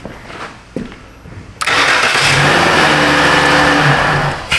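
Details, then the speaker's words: 2013 Dodge Grand Caravan no-crank fault, starter fine; start control-circuit powered through test light and fused jumper: a few clicks, short crank, engine catches quickly into steady idle, normal start; relay control side suspected burned. "Through our test light and through a fuse jumper wire. Huh. Double double safety. All right. Now, the car should start back normal."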